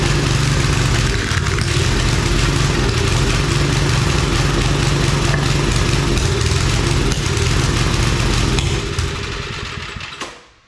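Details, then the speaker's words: Old Briggs & Stratton 5 hp wood splitter engine after carb work, main jet adjusted a lot, run without air cleaner, choke seems to float; loud rough lumpy beats about four a second, speed wavering. Owner suspects overly sensitive governor. "Definitely not running good. I'll put you in the danger zone here. It seems like the governor is like overly sensitive or something."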